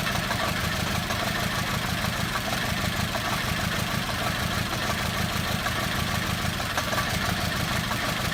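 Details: VW Beetle 2.0 petrol misfire, intermittently running on as few as one cylinder: rough, uneven idle with lumpy stumbling beat and no clean rhythm, dropping cylinders off and on; misfire.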